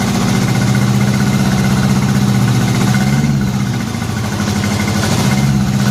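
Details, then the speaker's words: Honda Gold Wing just after new head gaskets, run briefly with no coolant and moisture still in crankcase: even, low, steady idle pulsing about three times a second, no knocks, no smoke; normal idle. "she wasn't smoking no weird noises"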